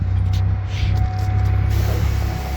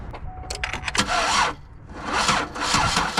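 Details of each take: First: 2009 Buick LaCrosse with a crank-no-start complaint, after replacing the crankshaft position sensor: it starts right away and idles with a deep, even rumble and no misses or knocks, healthy. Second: 2009 Buick LaCrosse, crank no start, battery at 2 volts on a booster pack; starter spins evenly at two to three pulses a second but engine never fires, no spark seen at waste spark coil.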